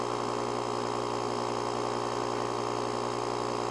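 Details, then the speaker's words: JOMGAND JQP3750 jump starter's built-in tire inflator (150 PSI) pumping a tire, set to shut off at 20 PSI, pressure rising quickly from about 10. Constant buzzing hum, fast even pulse, no pitch change: normal running. "oh look at that that tire is rising can you believe that it is going pretty quick too for such a small compressor"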